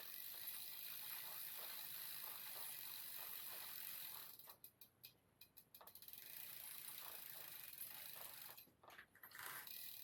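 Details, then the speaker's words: Mavic rear wheel after cassette swap, freehub reassembled, suspected lost shim: quick light ratcheting clicks that fade early and stop, quieter than before; freewheel somewhat draggy, owner suspects it needs shimming. "you can hear it's a lot quieter now I do think it needs swimming now so I'm going to read up on it I think somebody had it to pieces and lost a shin the Free Will is a little bit draggy"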